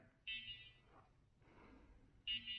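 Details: ShiFT Red drone after its battery was reseated and the controller restarted: two short, high-pitched beep bursts about two seconds apart. Only one propeller spins. This is the warning tone; the fault is unidentified.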